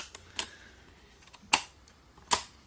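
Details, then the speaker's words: Knitting machine carriage on a bench test before a knit test: a faint tick, then three crisp, firm, evenly spaced clicks as the cams snap cleanly into position and stay; normal, symmetrical movement. "but when you hear them click like that that means everybody's moving like they"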